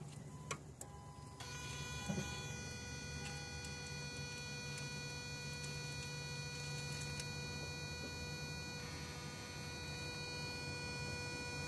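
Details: 2002 Toyota Prius: odd, steady, high electrical buzz from the electronic throttle body motor over a low engine hum; the throttle body's plastic has also cracked.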